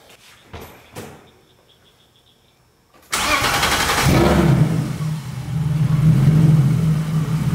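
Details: BMW E36 with freshly installed M52B30 inline-six, first start after the swap with the EWS immobilizer bypassed by a jumper: after a pause, one short crank and it catches at once, then settles into a steady, even idle. Clean, healthy start.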